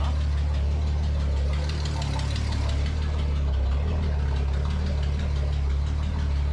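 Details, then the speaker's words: Datsun 280Z, sluggish and hard to hot start, idling with ignition timing apparently around -5 degrees if the flywheel mark is true TDC: low, lumpy idle with dull uneven throb, no sharp knocks; rough idle from retarded ignition timing. "it would be at negative five degrees right now so it's way off way off"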